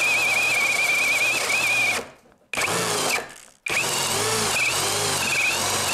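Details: Litheli U20 cordless drill boring oak with a sharp 68 mm Forstner bit, no kickback control: steady high whine under heavy load cuts to silence twice, then restarts; overload cut-out tripping.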